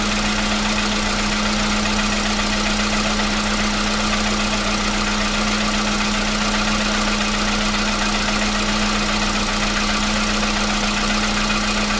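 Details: 2015 VW Polo Sedan at 76,000 km, new battery, cold start. For years it knocked only when cold, and worse on Rosneft oil. Steady, even cold idle at a constant note with no knock or tapping; the knock has suddenly disappeared. Normal cold idle.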